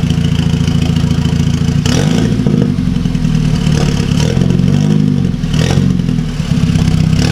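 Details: 2009 VW MKV GTI 2.0T TSI, fully straight-piped with a 3" Billy Boat downpipe and no muffler or resonator, with known unfixed misfires. Loud, rough idle with an uneven lope and a tinny rattle riding over it. Something is possibly loose; source not pinned down.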